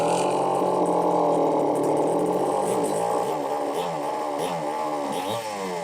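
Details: Homelite XL-903 chainsaw after carburetor work, stiff fuel hose possibly not letting filter sit in fuel: runs unsteadily, pitch wandering and sagging instead of an even note; won't run on low speed circuit, lean fuel starvation.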